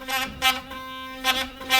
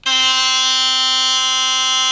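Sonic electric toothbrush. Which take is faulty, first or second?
second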